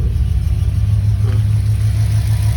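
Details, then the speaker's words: Dodge Ram 2500 5.9 diesel, about 200,000 miles, owner thought the engine was failing: steady low drone under the idle with no knocking; removing the belt traced it to a failing water pump. "Yo pensé que era era el el motor y le quité la la banda le quité la banda y era lo que tenía que a la bomba del agua no servía"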